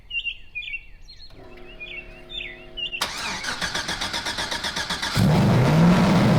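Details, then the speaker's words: LS-swapped Nissan 240SX with a tune being adjusted: after cranking, the V8 catches and holds a fast, steady idle well above normal; the owner believes the idle was not set all the way down. "High, right? Yeah, so I guess it didn't set it all the way down. So now it's idling super high."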